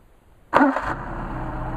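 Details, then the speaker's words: Mercedes 190SL with tested Solex carburetors, hot start after linkage adjustment; quick catch on the first crank, then straight into a smooth, even idle with no stumble, a clean hot restart. "I think you'll be very happy I am these are really really nice carburetors and should give you many years of service"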